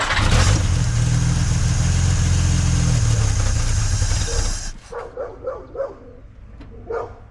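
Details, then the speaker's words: 1950s Dodge Meadowbrook after swapping to a 6-volt battery. Heavy, labored cranking at about four beats a second for nearly five seconds without catching, noticeably slower than before; slow cranking. "Okay, you can hear that it uh didn't spin over nearly as fast."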